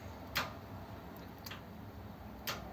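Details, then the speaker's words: 1932 two-door sedan overdrive after switch repair, ancillary switch on, shifting from neutral into fourth: a few sharp quiet clicks as the relay and solenoid engage, with the ammeter moving under the solenoid load; fault fixed. "switch there we go that's fixed it switch and you can see the um amp gaug change as well with the the load from the solenoid"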